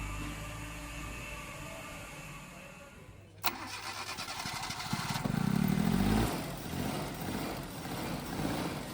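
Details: Turbo Suzuki Jimny with cold-start problems, after tappet adjustment, new spark plugs and timing set: one sharp crank, catches at once and settles into a steady even idle; clean healthy start.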